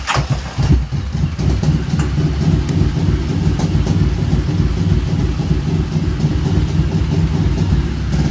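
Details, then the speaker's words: 2009 Kawasaki Vulcan Voyager 1700 with a battery replaced a week or two earlier starts with a burst, then a rough, sagging, uneven low rumble that won't hold idle and dies right down. "And if I were just to go like that and start it, it would just start up. It just dies right down."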